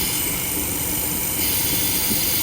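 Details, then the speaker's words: 2016 Buick Cascada 1.6-litre turbo at idle with a P0171 bank 1 lean code: a steady, airy hiss over an even idle with no misfire, a vacuum leak from the failed PCV valve, less severe than earlier; the fix is a new valve cover. "Has a P0171 lean code, and found out that the PCV valve inside here is bad. It's fucking vacuum."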